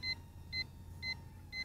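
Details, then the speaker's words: Hubsan H122D X4 Storm micro FPV racer drone in flight on a 2-cell battery. Four short, high double beeps about twice a second over faint motor hum: low-battery warning, after which it lands itself. "Beep warning, so let me see if I can land this on the pad."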